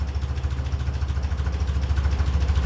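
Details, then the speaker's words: 1957 Ferguson 35 TVO tractor, cold start without choke: slow steady low thump at tickover with a slightly soft, hesitant beat; idle sits low and the mixture may be a touch lean, before the mixture is adjusted. "I don't think that sounds too bad probably just to touch lean because it is that is a low take over"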